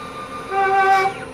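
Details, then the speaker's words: Microkinetics stepper-driven CNC milling machine, head moving up and down on Z-axis: sharp steady squeal rises with travel then fades; squeak from a loose bolt that needs tightening. "and down just saying it's squeaking squeak in just a little bit oh yeah it's got to tighten that up it's got a loose it's got a loose bolt in there"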